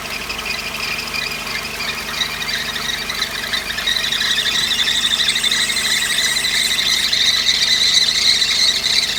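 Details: Mercedes 190E 2.3: shrill, steady squeak with a fast chirping pulse from the front belt drive; water on the belt temporarily quiets it; bearings of water pump, alternator, power steering and AC compressor checked fine; owner believes belt or belt tension.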